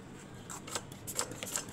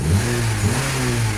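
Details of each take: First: Honda Civic that arrived overheating with an empty radiator, cooling system pressure-tested: irregular spitting ticks and faint hiss as coolant escapes through a cracked small hose; overheating also cracked all four ignition coils. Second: Honda Civic after overheating (empty radiator) refilled with 50/50 long-life coolant: engine now revs cleanly on the throttle with smooth, even rise and no delay or stumble; hoses over 5 years old, cooling-system refresh advised.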